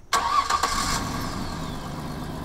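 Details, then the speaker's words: Rust-leaking exhaust after repair with couplers and clamps: engine catches quickly and settles into a smooth, even idle with no puffing or ticking at the joint; soapy-water test shows no bubbles, exhaust sealed; normal idle. "well i'll tell you one thing that sounds a lot better than before"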